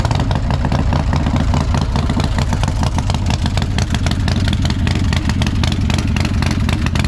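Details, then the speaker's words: Crashed Harley-Davidson Dyna Street Bob with a reportedly big engine build, first start after months idle on possibly stale fuel, oil primed by cranking: deep, steady V-twin thumps with no clatter or misfire. It starts and runs normally. "Pretty happy to know that it starts and runs. She sounds like she's had a bit of engine work done,"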